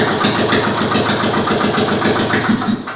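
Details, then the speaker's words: Royal Enfield Classic UCE single-cylinder engine, freshly rebuilt and assembled, run without silencer: loud sharp pops at a steady idle beat about three and a half per second through open pipe; engine sounds healthy. "देखि जो आप य sound सुन रहे हैं यह हमने बिना silencer के यह आवाज आप सुन पा रहे हैं लेकिन जो इसकी रियल आवाज है वो इसके साइलेंसर के बाद ही आपको मिल पाएगी"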